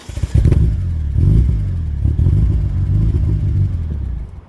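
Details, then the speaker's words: DSM engine after cam seals, cam and crank sensor work: low roar climbs in uneven surges then revs suddenly die; suspected ECU fuel cut from airflow sensor/cam codes, possibly wiring related. "To me, it still sounds like it's hitting a uh fuel cut. Like the ECU is not happy with some sort of sensor reading."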